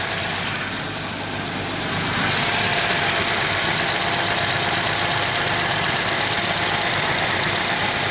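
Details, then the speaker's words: 1990 Jaguar XJS V12 with high, surging idle during warm-up: WD-40 sprayed at injectors is sucked in, steady fast high idle with sharp hiss; worn injector O-rings on all 12 injectors leaking air. Vacuum leak at injector O-rings. "So you got 12 injectors and each one's sucking a little extra air by those O-rings. That's what's making the idle high."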